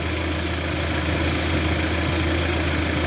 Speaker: so i got the car running as you can hear i just turned the ac on and the low speed fan is running